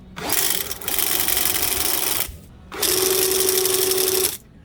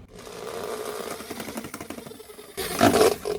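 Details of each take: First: RIDGID K9-102 FlexShaft drain cleaning machine: two even runs with steady mid whir and hiss, almost no vibration or noise, no knocking or rattle; normal running. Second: Drain-cleaning machine resting on a drum: motor drone with busy rattle swelling into harsh clatter as the spinning drum shakes and sends heavy vibration into the floor.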